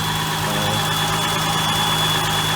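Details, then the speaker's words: Warmed-up idle of a J-Series V6-swapped NA Miata: a thin, steady high whistle over a smooth idle. Air rushes past sharp edges under the intake manifold cover, left from the stock manifold's EGR "anthill". The cold-start idle air control sucking noise is gone; a new cover top is planned. "There is like a little whistling noise, and that's because the underside of this cover has all these sharp edges that were normally this anthill thing that's part of the EGR design on the stock manifold. So there's the air goes in and then it whistles on that stuff."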